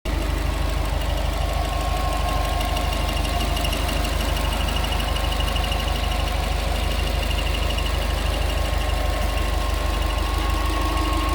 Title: Subaru Forester ticking noise 2.5 xt SG